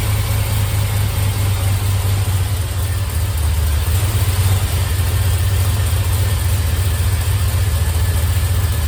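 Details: 1951 Buick with turbo LS V8, run to open thermostat: deep, even idle with low steady rumble and no valvetrain ticking; quieted down, longer pushrods judged unnecessary.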